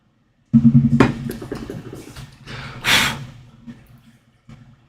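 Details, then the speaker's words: HomePod smart speaker powering on and playing its setup tone; a low chime with a buzzy rattle as air escapes around a bent subwoofer, which is to be removed and straightened. "Yeah, you hear that rattling? That is the sound of air escaping."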